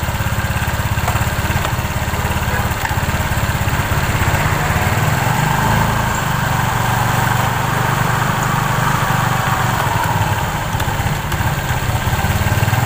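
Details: Scooter CVT after repair, with new original V-belt replacing a damaged one: even, steady low putter at idle with no rattle or clatter; normal CVT running.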